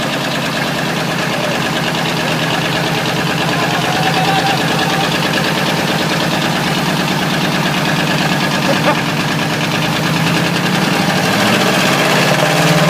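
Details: Ford 351W V8 with a spun rod bearing, abused until it dies: steady idle with a hard rhythmic knock about three per second over the exhaust; rod knock.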